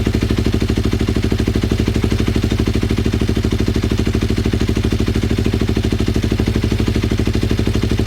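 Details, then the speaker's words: Twin-cylinder Ninja motorcycle, recently revived, before carb sync: steady low thump of about three pulses a second with a slightly uneven beat, carbs suspected out of sync; uneven idle. "okay it looks like we're having some problems fuel is leaking out of the headers this is bad"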